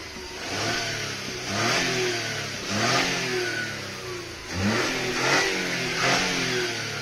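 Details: VW Fox 1.2 (BMD engine) after a wiring repair on the throttle body for unstable idle and no acceleration: engine blipped about five times, climbing and dropping back cleanly, no hesitation.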